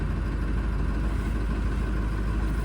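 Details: Ford 7.3L diesel idling just after fuel filter change and priming: deep, steady diesel rumble with no misses or knocks, an even idle; sounds healthy.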